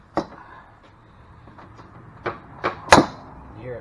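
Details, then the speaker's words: Gas golf cart (EZGO-type) driven clutch after swapping stock spring for heavy-duty spring: handling knocks then one sharp snapping clunk as sheave springs back shut, showing strong, healthy spring tension. "hear it plunge back up like that? Super good tension."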